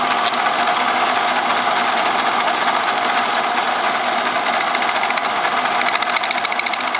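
Fast, raspy chatter of the tool against the spinning wood, steady throughout; the workpiece is moving under the tool because the spindle has play.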